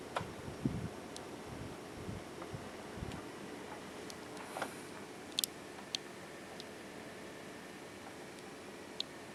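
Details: itfenix Spectre Pro 200mm case fan, microphone on top: steady rough rush with scattered dry ticks, a grinding noise needing a closer look.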